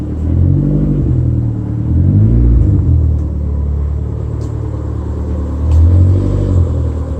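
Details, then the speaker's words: Toyota MR2 on road after wheel rub fix: steady low engine and road rumble with gentle rises in revs, no rhythmic rubbing or scraping from wheels; sounds much better. "took it for a drive it seems like that's exactly what it was so it sounds much better"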